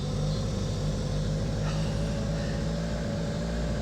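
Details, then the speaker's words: 1985 Honda Accord with 62K miles, first running after long sitting once a blown 65 A fusible link was found; a steady low rumble with a slightly uneven, lumpy beat. It runs, but roughly. "she may not be very happy but she's running"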